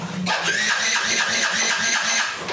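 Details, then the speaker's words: Old Yamaha Jupiter Z, very cold, on a DIY 4S LiFePO4 32700 battery replacing the stock battery, reading 13.2 V: even starter pulses about three a second for over two seconds with no firing; cranks but won't start, owner suspects it needs warming. "Masingin tidak naik ya, Teman-teman. Wah, berarti harus dipanasin dulu, Teman-teman. Karena ini motor tua ya."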